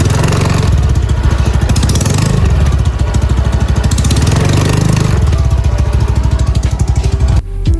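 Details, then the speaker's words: Honda Beat Deluxe scooter CVT revved: fast, dry crackling rattle heard from the front, likely the front pulley, caused by a loose worn roller slider. "Jadi kayak gitu suaranya ya, Teman-teman ya. Sangat mengganggu sekali. Ini suaranya itu terdengar dari depan kemungkinan dari puli depan ya, Teman-teman ya."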